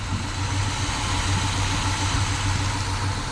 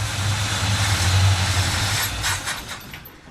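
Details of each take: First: 1957 Chevy Bel Air after 30 years off road, fuel leaks traced down and thought fixed, radiator leaking; even, steady low idle rumble with no misses, ticks or knocks; quiet, smooth and healthy. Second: 1957 Chevy Bel Air V8 on first start in 30 years catches and runs roughly a couple of seconds then dies; owner suspected bad fuel pump, but fuel starvation traced to loose fuel line, taken apart and tightened.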